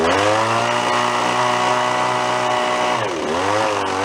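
Starts and holds a steady, even two-stroke buzz, then picks up cleanly on a throttle blip and settles back; runs healthy.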